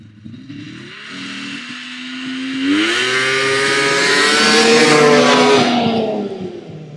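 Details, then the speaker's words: Vintage TX340 twin two-stroke snowmobile on its first passes of the season at a fall shakedown: a rising buzzy note climbs cleanly onto the pipe and holds a crisp, steady pitch; sounds healthy. "sounds good one it once he gets up on the pipe"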